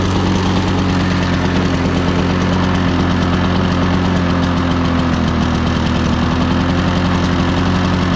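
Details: Two-stroke Lawn-Boy 10550 push mower running with a steady low buzzing drone that never climbs; not reaching full RPM despite full throttle travel; dirty carburetor or unknown adjustment screws suspected.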